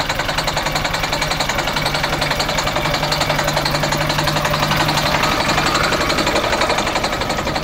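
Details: MCI coach with a Detroit Diesel S60 DDEC6 (425 hp at 2100 rpm) at idle: a loud, uneven, lumpy chuffing while running on only 3 of 6 cylinders. The misfire was traced to the external engine wiring harness, not the internal injector harness.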